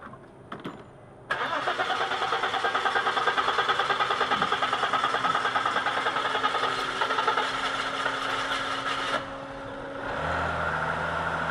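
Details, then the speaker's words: 2002 Audi A4 3.0 V6, crank-no-start with no fuel delivery, after fuel pump replacement: several seconds of cranking at about three turns a second while air bleeds out, then catches into a smooth idle; starts normally after repair. "it obviously had to bleed the air out still all okay shut it off"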